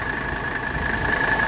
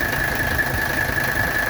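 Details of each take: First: 1985 Mercedes 300SD diesel, AC on full blast after AC service and belt tightening: steady even idle with a faint constant whine and no compressor chatter; belt tension now correct. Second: 1985 Mercedes 300SD diesel idling during AC recharge: fast, uneven chatter and thin high chirp from the compressor, because the fresh belt is not yet tight enough and needs tightening.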